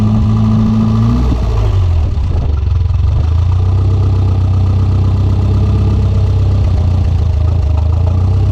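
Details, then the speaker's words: Turbo Mitsubishi Conquest with broken TPS wires found: the engine catches and runs low, then sags and wavers as if fuel-starved and dies trying to build boost; fuel pressure appeared to drop, owner suspects the fuel pressure regulator. "it did look like a fuel pressure did drop like when it was going into trying to go into boost but it stayed whenever the car died"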